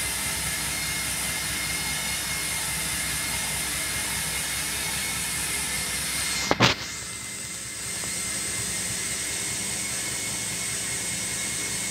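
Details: Hotpoint Smart Tech washing machine on the Eco Cottons spin: a fast, loud spin with a harsh, airy rush and a thin, high whine running steadily throughout.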